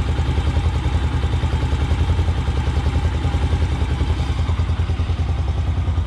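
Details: Motorcycle carburetor after idle mixture screw adjusted to about one and three-quarter turns: even, steady low thumping at about three and a half pulses a second, no hunting or stumbling; clean, stable normal idle.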